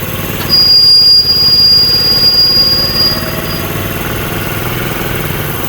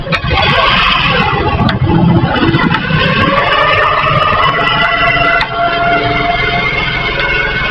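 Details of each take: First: Honda CD70 motorcycle after chain lock replacement, running in gear with brake applied for load: steady engine, no chain clicking or knocking; lock noise gone, chain itself fine. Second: Honda CD70 motorcycle used for carrying loads, with a rack fitted; engine climbing in gear gives sharp clicks roughly every two seconds from the drive chain, traced to a worn master link (chain lock), which is replaced.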